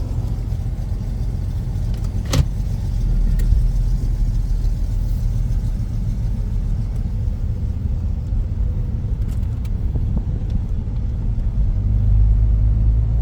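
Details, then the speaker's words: Jeep Grand Cherokee WJ 4.0 on a driving test: loud, deep rumbling drone under load from a rusted-through hole in the exhaust where the heat shield was; no axle or pinion bearing noise heard. "I do not hear any bearing noise, any axle bearings, any pinion bearings, anything other than my nasty exhaust leak."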